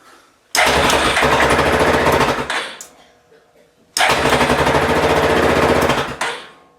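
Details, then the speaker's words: Yamaha Grizzly 450 ATV after replacing a 7-year-old battery (read 12.5 V but lost cranking amps) with a new YTX20LB: two strong, fast, even starter bursts that quickly catch; starts normally, battery was the fault, not solenoid. "So that seems to have fixed the issue. So the cranking amps on the old battery was gone, even though it showed 12.5 something volts."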